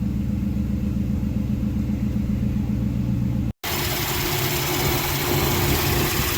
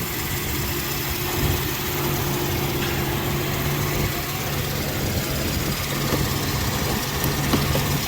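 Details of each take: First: Mercedes M119 V8 after rebuild, started after its first oil change at about 3,000 miles with 8.5 quarts of 5W-40; smooth, steady low-rumble idle with no knocks or ticks, good oil pressure, normal idle. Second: Mercedes M119 V8, rebuilt, first oil change after about 3,000 miles, refilled with 8.5 quarts 5W-40: steady startup idle with a faint constant hum; good oil pressure, secondary air injection pump making noise.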